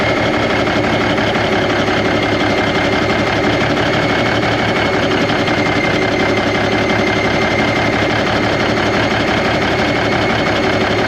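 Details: 1991 Freightliner, Cummins NTC-365 with bad throttle lag, running from a fuel bucket bypassing the ECM cooler plate: steady loud drone with an uneven, lumpy beat, running rough and sounding worse; fuel delivery suspected, unconfirmed.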